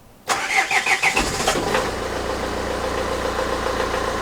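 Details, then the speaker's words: Renault Trafic diesel just after the engine was refitted, start with preheat: about five cranking pulses, then it catches, is slightly unsteady for 10–15 seconds, and settles into an even idle with no knocks. "quand tu démarres il a un peu de mal à se stabiliser pendant pe-re 10 secondes 15 secondes et après il est stable nickel"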